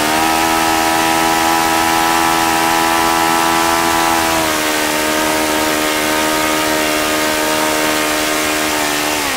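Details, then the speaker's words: OS FS-95V four-stroke model engine after rebuild, 15% four-stroke fuel, 14x6 prop near ten thousand rpm: steady high-pitched drone dropping slightly twice as mixture is richened, no misses; fine running, though loose throttle arm prevented lower idle. "okay so that was pretty impressive aside from the little issue I had with the throttle arm being really free and my throttle setup not allowing me to you know keep it down lower so I can get my tax set up seems to be a really fine running engine"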